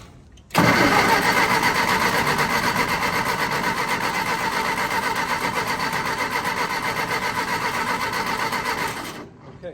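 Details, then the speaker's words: Willys-powered Army skid generator, cold start with WD-40 in cylinders (no starting fluid), electric fuel pump: rhythmic cranking about four strokes a second for several seconds, never catches; cranks but won't start, owner suspects no fuel reaching engine. "know you've got spark but you don't have uh fuel so it's very possible this sucker's just not getting any fuel"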